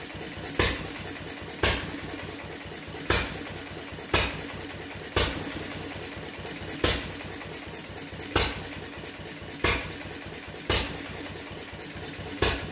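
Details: Fuller and Johnson hit-and-miss engine on first run after cleanup, battery and 6-volt coil box, started with a little choke: heavy power bang about once a second over steady mechanical clatter; rough, owner suspects too rich, plans checking mixer and RPM.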